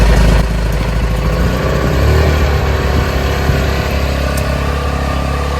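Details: RV's onboard 3 kW gasoline generator starting after choking, running under light charging load; catches and settles into a steady low putter, running evenly without stumbling: normal generator run.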